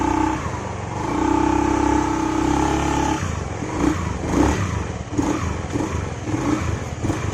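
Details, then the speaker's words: Honda Beat FI scooter test-ridden after the CVT and front cover were refitted: even drive whine rising and falling with throttle, no clatter. The low-throttle "kletek" noise, caused by a worn CVT shaft rather than the CVT cover bearing, has disappeared. "Kita pasang kembali covernya depan ini. Oke ya, hilang ya suara kletek-kleteknya. Coba kita tes jalan ya."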